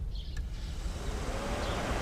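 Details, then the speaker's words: Mercedes SL500 R129 coolant fans, low-speed relay removed and power jumped directly to the low-speed circuit: a soft airy whoosh builds smoothly over two seconds with no rattle or scrape; the fan and circuit work normally on low speed. "So we're going to apply power to low speed first. Fans activate. This is a very good sign. That means that circuit is alive."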